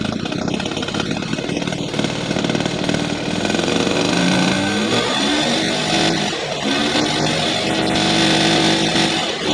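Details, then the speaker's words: 1978/79 Honda Express moped, 50cc two-stroke, parked 20+ years: buzzes and revs unevenly with throttle but keeps running; engine alive again. "oh it runs it runs we got it we did it yes yes it runs it runs it"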